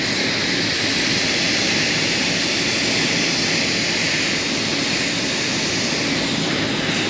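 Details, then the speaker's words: Rooftop kitchen AC condenser on a restaurant roof, pressurized with nitrogen for leak testing after a low-pressure lockout; a loud steady hiss of gas escaping from the condenser coil, audible without the detector; the coil needs replacing. "Not even sure I need the leak detector. I can hear it. Oh yeah. Oh, it's right there."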